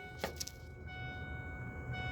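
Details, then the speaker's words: 2000 Ford F-150 4x4 4.6L V8, running rough: listening at the open gas cap after the ignition is turned on; a click, then a faint steady high whine as the fuel pump primes for a few seconds, normal. "after turning the ignition you should hear the water pump making a noise through here for like a few seconds after you start it go ahead"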